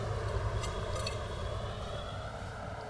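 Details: Ceiling fan after both bearings were greased and freed, spun by hand: soft, even whir slowly fading as it coasts, no grinding or clicking; bearings now turn freely.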